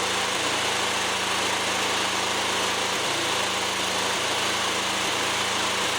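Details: Fairly new lawnmower run with the mower deck off after checks: steady speed with a brief dip and stumble every second or so; intermittent misfire, choke clears it, owner suspects a fuel problem.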